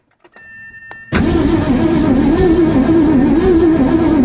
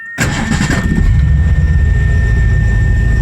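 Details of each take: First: 1984 Mazda RX-7 with swapped 302 V8 and C4 transmission cranking six seconds at an even beat without catching; no-start with weak spark seen at a test plug, new plug wires and ignition wire rerouting planned. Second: 1984 Mazda RX-7 swapped with Ford 302 V8, C4 automatic, timing set 10 degrees, idle mix rough-set: brief crank, catches at once, steady deep idle; starts right up, decent oil pressure, bearings somewhat worn.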